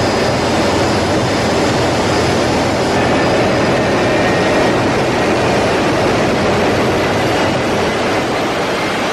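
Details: GE LM1500 converted fighter-jet turbine (15,000 hp), propane-fuelled, in test cell, heard from behind and front at full power: steady even roar, no surging, pulsing or rubbing; normal full-power run.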